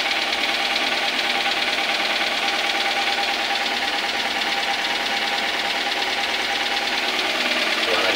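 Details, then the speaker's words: Daihatsu Gran Max engine with persistent overheating, cylinder head previously disassembled: rough, busy idle with rapid harsh top-end ticking about twice a second; owner says it wasn't rough before; loose valvetrain or broken camshaft mount suspected, unconfirmed. "Nah kayak gitu guys kendor bisa jadi sudah mulai kedengaran"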